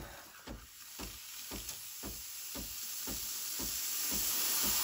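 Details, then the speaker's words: Breville Barista Express BES870 switched to steam mode after purging hot water: pump pulses about twice a second under hiss growing louder as steam pressure builds to full; normal steam pressure build-up. "just let that Purge into the tray and then once the pump pulsates I don't know if you can hear it but it goes when you hear that that's when the machine starts producing Steam and if you give it a few more seconds it will be even stronger pressure"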